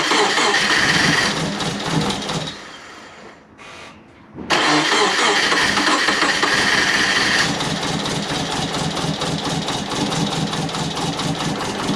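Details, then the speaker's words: Subaru Forester with big turbo and new stage 2 cams: lumpy idle with steady chuffing pulse, roughly three a second; owner hopes the chuffing is from the breathers, source unclear. "uh I can't tell you well but there's obviously some chopping hopefully it's from the breathers"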